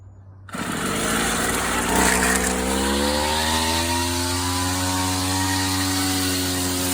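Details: 39-year-old vintage Toro weed trimmer, Japanese-made small two-stroke, after freeing a stuck throttle cable, first run in years, January in Oklahoma: catches, revs to a steady high buzz and holds evenly without stumbling; normal running.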